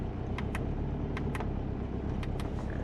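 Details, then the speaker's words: Subaru Forester on a Haltech ECU idling fast, steady and even. It runs rich (AFR about 10 against a 14.7 target) at a high idle. "And look at the AFR. It's fat. 10. So, probably got a lot of fuel. It's going to have to correct itself."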